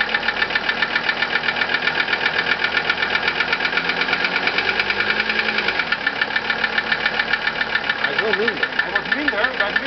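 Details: 1982 Mercedes-Benz 300D Turbo (US) diesel idle with sharp, even ticks about five per second; injection pump timed, injectors rebuilt, valves adjusted (0.10 mm intake, 0.35 mm exhaust), chain stretched two degrees; chain tensioner suspected, cause undetermined.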